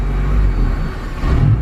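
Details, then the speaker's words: Built turbo K24 EP3 Honda Civic on Kpro Hondata idles low then runs, but on throttle the deep engine note sags and falters, cutting out and dying; won't rev or stay running, boost controller also sounds erratic; cause not yet determined. "I'm trying to give it gas though and it wants to cut out and die"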